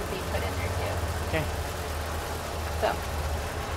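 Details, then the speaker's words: Old family van after a tune-up and battery charge; low steady idle rumble holding even with no stumbling or knocking, running healthily. "pour that in and then get it you hear that that's the sound of a working van baby"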